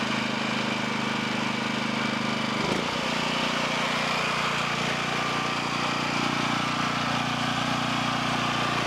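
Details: Low-hour 11hp Generac single-cylinder engine from a generator whose power head smoked, run after freeing a stuck carburetor with penetrating oil (it had been running too fast); steady, even drone without hunting or stumbling after one brief blip, running clean.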